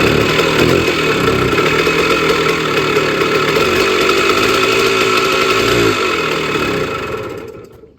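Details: Sears Sabre 50cc two-stroke motorcycle, 1965 or 1966, first run after about 40–45 years sitting, carburetor cleaned and new chain: crisp, buzzy two-stroke note runs steady for about seven seconds, then dies away; normal running.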